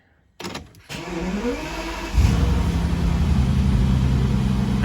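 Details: Bentley Continental GTC W12 with a starting issue, after the starter cable couplings were replaced and the cables and nuts cleaned (starter motor was fine): a short starter whirr, then it catches first time and settles to a steady idle.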